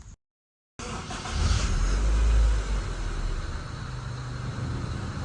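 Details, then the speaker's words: Honda Civic with a rough idle that shows when the aircon is on, during ICV idle-screw calibration: low idle climbs and holds a bit high, then dips slightly before settling. Raised idle with a slight dip; idle still not quite stable. "Okay. Medyo mataas na pero may dip eh an >> m may dip konti."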